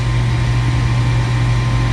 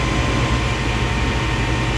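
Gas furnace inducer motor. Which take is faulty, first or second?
first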